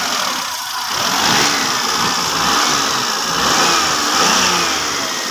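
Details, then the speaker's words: Hyundai engine after tightening loose aircon and alternator belts that previously squealed: revs up and settles smoothly, belts now quiet, normal operation. "Wala nang ingay. Ang belt. Maluwag kasi. Kaya maingay dati."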